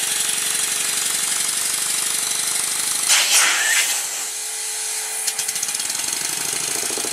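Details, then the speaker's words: Stuart Score steam engine rebuild, run on compressed air on one side only while dragging the dead side; quick even chuffs about four a second over a constant airy hiss from leaks around the cylinder covers; original covers don't fit, new ones to be made. "As you can see, there are some leaks around the cylinder covers. And I can't use the Steuart ones because they don't fit."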